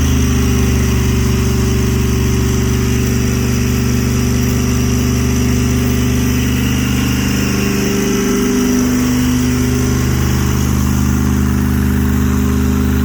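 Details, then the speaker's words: Blown big-block V8 in a 1968 Barracuda on its first start, temperature about 170 and headers glowing red. Deep, lumpy, loping idle with a brief rev blip; the engine is dropping cylinders because the head gaskets are fried. "Oh yeah, look at that. Yep. Head gaskets, they're fried."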